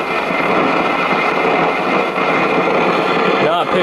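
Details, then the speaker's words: 1956 GE Model 940 five-tube clock radio: a steady crackling, thunderstorm-like hiss with no stations while tuning, caused by failed capacitors inside the IF transformer cans. "as you hear it's got the telltale signs of a thunderstorm sound which is very characteristic of SMD bad capacitors and the iaf transformers"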